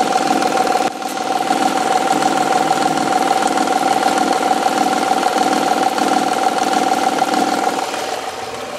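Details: Honda/Acura V6 at idle: a steady fast tapping of about three per second over a smooth idle, seeming to come from the rear-bank cylinder head. This is a faulty timing belt tensioner; replacing the tensioner removes the noise.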